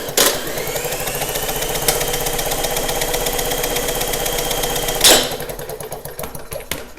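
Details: Snapper mower: about five seconds of even cranking whir with no firing, then stops; no-start with no spark, later traced to the kill wire.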